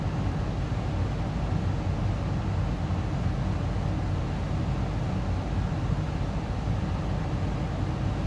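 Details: Amana 95 IIQ two-stage variable-speed gas furnace start-up, draft inducer on high for initialization: steady even low rumble of fan and burner air, no knocks, rattles or squeals; healthy startup.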